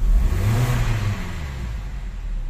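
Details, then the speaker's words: 2010 Hyundai Tucson petrol, warm engine, after fuel pump motor assembly replacement: strong low rev that falls back slowly and evenly from high to low, no stumble or hesitation; fuel pressure holding, engine fuelling cleanly and healthy. "Yung putok nyo, boom, tapos dahan-dahan bababa, rev,"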